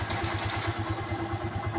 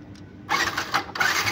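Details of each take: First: Yamaha Byson that would not electric-start, after replacing the starter bendix with an original part: now starts; single-cylinder idle with even quick low thump, steady, no knocks or grinding; normal idle. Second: Yamaha Byson that won't start, starter motor tested directly: short bursts of high, free whirring with no cranking underneath, so the starter motor spins but the bendix doesn't engage the ring gear; the fix is replacing the bendix with an original part.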